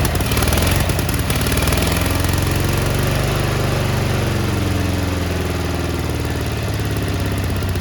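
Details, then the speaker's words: Cub Cadet 1430 abandoned for years, fuel turned red, started on ether; idle hunts up and down with an uneven beat, doesn't like idling, burning off deposits; one side possibly misfiring a little. "there she is look at that it's surging a little bit but it's burning off all the crap that was on it it smells so bad she don't like uh she don't like idling"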